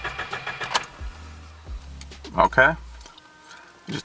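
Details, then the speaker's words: Subaru (manual) after an oil change, cranked with clutch and gas pedal held to the floor so it won't start, to pre-fill the oil filter: steady low starter drone, engine turning evenly but never firing. "Holding down the clutch and the gas all the way. We're going to crank it like 5 or 10 seconds and then do it twice."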